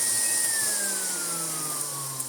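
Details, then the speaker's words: Siemens Super VS 31-45 vacuum cleaner switched on after repair: smooth, even high-pitched air rush with a clean motor tone gently sliding lower, no rattles or grinding; motor sounds healthy, though there is almost no suction, possibly from a filthy seal. "at all from it, but motor sounds very good indeed."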